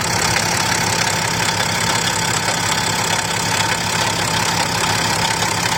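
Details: BMW X6 idling with the belt removed, noise from the front of the engine persisting: steady hiss and whirr with a faint uneven tick about twice a second, heard from the exhaust/turbo side; cause unconfirmed.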